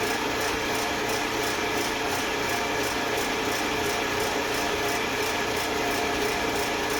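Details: Eastwood Elite QST 30/60 scroll air compressor after replacing the failed pressure switch, which had never cut out and popped the 30 A breaker: tank just past 50 psi heading to the 145 psi cutoff, even whir and hiss, no rattles; normal running.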